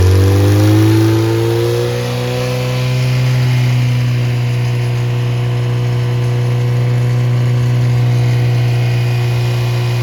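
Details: Rebuilt Triumph Spitfire/MG Midget 1500 performance engine with new valve springs after shop fire, oil pressure 60–65 psi warm, temperature holding: revs drop back to a smooth, even four-cylinder hum, steady low pitch, no knocks; healthy engine.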